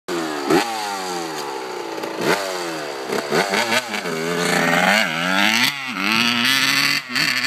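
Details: 1991 RM80 two-stroke bogs under throttle, revs sagging and stumbling instead of climbing cleanly; cause unknown despite a new carburettor and a cleaned airbox.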